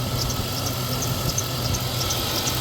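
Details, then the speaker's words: 2003 Chevrolet Tahoe after water pump replacement, steady idle with high chirping squeak several times a second; accessory belt squeak persists after cleaning and spraying, owner suspects a bad belt edge or odd belt motion, cause unconfirmed. "When you send the damn thing out of the place squeaking like this, so you have to sit there and fuck with it until you get rid of the squeak."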